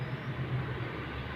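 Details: Tata Indica while driving: a steady low hum rumbles under the road noise, suspected worn front wheel bearing, not confirmed.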